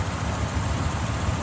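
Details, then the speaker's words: V8 idling after jump start, sat a year and a half and needed fuel pressure: steady, even low rumble with no misses, knocks or ticks; runs smooth and healthy. "It's running. It's running really good. Yeah. Good mine. That's smooth as hell."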